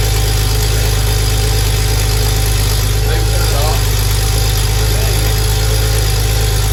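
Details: Porsche 964 911 Turbo project after replacing the fuel pump to fix a fuel issue, running very smoky: a loud, steady engine drone with an even low pulse and no knocks or misses, normal running.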